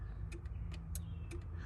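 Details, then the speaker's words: Peterbilt truck with a Detroit diesel idling: a few crisp clicks as the A/C regulator, whose probe sits in the evaporator core, is turned on and off, switching the compressor; normal operation. "all this does it goes the wire goes into the evaporator core it goes inside and all the regulates it turns the compressor on and off"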